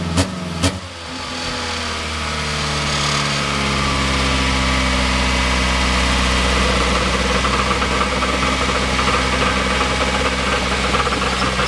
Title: first start up b16 ek , rattle noise